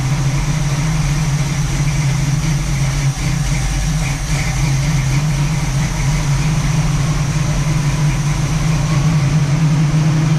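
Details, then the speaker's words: 1967 Camaro SS clone V8, first startup after sitting parked since 2000, a couple gallons of gas added, ignition hand-wired: deep steady idle with low even rumble, no knocks or misses; sounds healthy, fuel possibly running low. "all right guys well last night we we had a very successful first startup it ran good sounds good not really anything to be concerned about as of yet"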